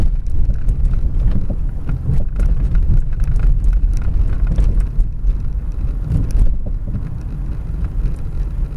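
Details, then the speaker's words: Car coasting with engine off over bumps: dull, heavy thuds from the rear over road rumble. "ننزل السيارة طافية وثبتوا معي مليح في الأصوات. الصوت واضح، أما صوت من الخلف أما صوت قوي من الخلف."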